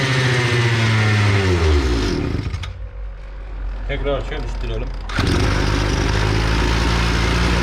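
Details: EFCO two-stroke brush cutter that ran briefly then stopped, after carburetor repair of a fuel leak that stopped the pump diaphragm working; revs hard, dips to rough low idle a couple seconds, then recovers to steady revs; running fine.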